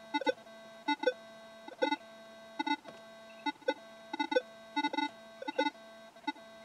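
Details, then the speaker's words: Pulse induction metal detector picking up a nearby mobile phone searching for signal: bursts of beeping tones about every 0.8 seconds over a steady hum, false signals. "that was a phone looking for a signal and you could plainly hear it there"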